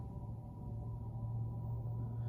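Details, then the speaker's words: 2021 Honda CR-V Hybrid EX AWD in EV mode reversing, engine off: soft steady low hum with faint tone, like brake rub but not; normal low-speed pedestrian warning sound. "Sounds like almost the brakes are rubbing, but it's not. It's just the noise because everything's completely silenced for safety, I guess."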